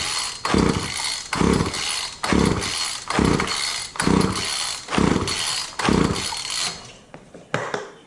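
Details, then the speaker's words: Wheeled walk-behind string trimmer, choke on, after carb spray: seven pull-start strokes about a second apart, each a rough whirr that dies, never catching; crank, no start; owner suspects a fouled plug and flooding from pulling with the plug wire off. "I don't know. I probably fouled the plug at this point."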